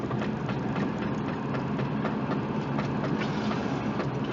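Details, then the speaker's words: Subaru Forester driving with throttle applied: repeated sharp clacks over road rumble from right front, worse steering right, wheel torque checked; owner suspects worn outer CV joint, possibly brake pad. "this window i mean it is just snapping away and i've already checked the torque on the wheels it seems to load up a little bit more when i crank the wheel to the right but it's really on throttle"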